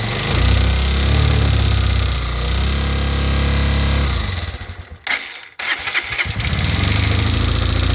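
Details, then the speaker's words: 2022 Honda CG 125L single, cold and on choke before a valve clearance check; it runs lumpy and nearly dies, with a quick, light hammering tap over the beat whose source is unconfirmed. "that I hope you could hear that hammering um over the lumpiness of the running on full choke"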